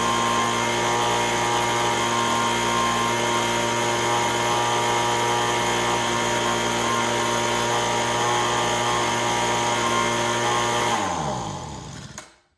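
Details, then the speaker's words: Roughly 20-year-old Echo ES-210 two-stroke handheld blower after surging repair: strong, even high-pitched scream held at full throttle with no hunting, then a clean wind-down. Tach shows 7,100 RPM (spec 7,000–9,000). Normal full-throttle run. "so now that we know that it's running and it's not doing the fluctuation behavior like it was before, I'm going to hook up my digital tachometer here again and see if I can tune it to within the 7,000 to 9,000 RPM."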